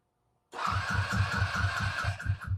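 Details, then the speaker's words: Gas scooter (QT22, planned electric conversion), run indoors since shop is cold, battery charged and oil checked first: even chugging compression strokes about four a second, turns over but never fires; gas smelled, owner suspects no fuel or no spark. "So it seemed to me it's getting pressure. I smell gas, but it might not be getting gas. So I'm thinking it might not either be getting gas or spark."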